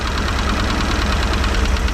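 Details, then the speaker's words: 1989 Raven 195 boat engine: deep, lumpy idle with uneven thumping and heavy vibration; owner suspects a worn motor mount or running on three cylinders, and starts a cylinder-pulling test. "I guess we'll just have to live with that noise but I don't like how much it's vibrating U it might be just cuz the rubber is shot on the motor mount but I'm feeling like that might be three cylinders"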